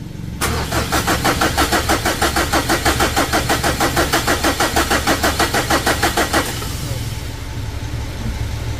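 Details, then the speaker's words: Mitsubishi Strada Triton HDX diesel after engine rebuild, jump-started from another battery: steady starter cranking at about three compressions a second for six seconds but it never fires; fuel not yet reaching, so the hoses are checked for leaks. "Oke, lagi. Op. Belum naik teman-teman ya minyaknya."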